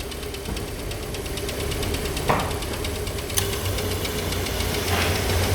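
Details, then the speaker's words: Petrol car at idle with air conditioning switched on, after heater core renewal and electronic ignition work: steady, even idle with a light regular tick, no straining under AC load as it previously did; normal. "Klimayı açtığım zaman motorda zorlamaz oldu arkadaşlar önceden zorluyordu şimdi zorlamıyorum"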